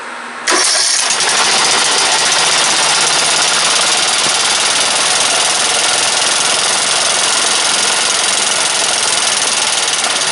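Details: Briggs & Stratton 17.5 hp OHV single-cylinder lawnmower engine, muffler on, spark tester fitted, battery 12.7 V: catches right away and runs at a steady, even drone with no stumbling; spark strong and consistent.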